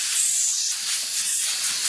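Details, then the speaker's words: Nissan Maxima fuel injector on test rig at about 34 psi, regulator working; steady high-pitched hiss with no rhythm, constant while pressure holds, fuel leaking through the injector; bad leaking injector. "so that is a bad injector right there"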